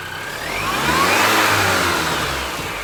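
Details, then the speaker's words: R53 Mini Cooper S first start after replacing rod bearings and rod bolts due to spun bearing: clean rev rising and falling smoothly, faint supercharger whine, no knock; rod knock cured. "oh all right so it runs it doesn't knock it sounds pretty good"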